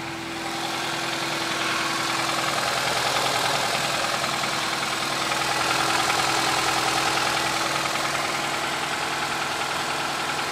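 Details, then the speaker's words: 2008 Nissan Versa CVT with codes P0746 and P0868 (solenoid A, low fluid pressure), after refilling NS2 CVT fluid: even idle, faint steady transmission hum, earlier peeking sound gone; normal idle after fluid fix. "now it sounds better [Music] yeah I can kill any remember that the peeking sounds I don't get it anymore"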